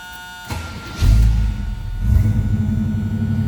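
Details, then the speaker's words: 1981 Chevrolet Camaro Z28 V8, cold start: starter whirs, engine catches with deep rumble, dips, then settles into a lumpy fast idle while warming; owner calls it a little cold-blooded. "Alright, let's go ahead and fire this up. A little cold-blooded, so we'll warm it up here a second."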